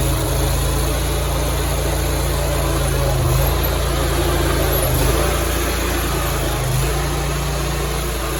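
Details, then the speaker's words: Grasshopper 227 zero-turn mower after repairing a broken wiring harness to the PTO electric clutch: the clutch engages and the engine drones steadily under load with an even deck hum and no misses; blades engaged, running normally. "The blades, you should physically hear the clutch popping on. I believe we are fixed."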